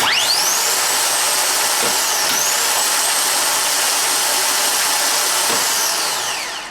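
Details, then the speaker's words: Harley-Davidson triple-glide trike electric reverse motor after solenoid replacement, bench-tested on a jumper box by jumping the terminal with a screwdriver. High whine spins up fast, holds even pitch, winds down smoothly: normal starter motor free spin. "how you how to free spin and you can get an idea of what it sounds like"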